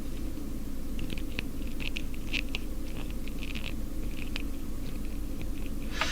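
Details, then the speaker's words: Northern Electric Midge Model 5408 radio, power cord flexed close to the microphone: some rubber squeak plus irregular crunchy crackles and pops over a low steady hum, pointing to frayed wires inside the cord, possibly near shorting. "So what I'm hearing some squeak from the rubber touching it, but I'm also hearing a lot of crunchy sounds, and that sounds to me like frayed wires inside there."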